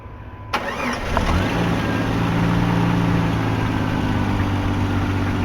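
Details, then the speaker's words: ZJ-generation Jeep with a long-crank complaint: after priming, it cranks briefly, fires at about 40 psi (spec 40–53) and settles to a steady idle. Fuel-pressure bleed-down, with no retention as fuel returns to the tank, is the suspected cause of the long crank. "I don't know if you guys noticed they got to about 40 psi and fired the pump should run between 40 and 50 3 psi and look no pressure retention I should stay up there at 50 all our fuel is going back to the tank"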